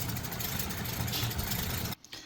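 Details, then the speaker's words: 1936 Rolls-Royce 20/25 straight-six, 25 horsepower, cold idle after restarting from running out of fuel: smooth, steady low idle with no knocks or misses before cutting off; expected to quieten as it warms. "I mean, it might sound loud on camera, but I promise you, this thing is so quiet. And it will get quieter as the engine heats up."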